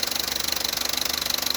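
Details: Opel Corsa D 1.2 Z12XEP, fully warm at idle: fast, even metallic chatter pulsing steadily, consistent with a rattling timing chain; noise appears only when the engine is hot, and it is almost silent when cold.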